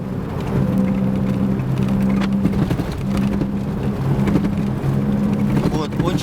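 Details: Opel Vectra A while driving: a steady low-frequency drone in the cabin over tyre noise, growing when steering one way and vanishing the other; a hub wheel bearing is typically the cause.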